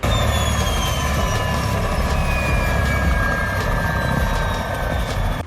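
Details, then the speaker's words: Ford BA Falcon Turbo (XTT747) just after fitting a new starter that previously only clicked: over steady engine rumble, a clean high turbo whistle drifts lower as revs ease; normal turbo spool. "Got to love the sound of that turbo. Sounds like a bloody bell helicopter."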